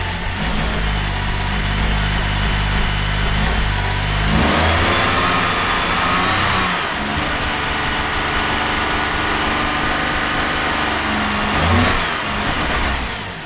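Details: 2008 Cadillac CTS 3.6L direct-injection, six months after timing chain replacement, runs lumpy with surging revs and a clattering rattle; bad cam phasers, fixed by replacing all four phasers and the thrust washer.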